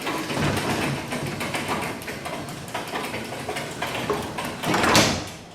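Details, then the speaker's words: Garage door number one lowered after maintenance: soft even rolling rush, no squeal or scraping, gentle thud at closing; sounds fantastic despite the chain needing tightening. "all right that sounds fantastic"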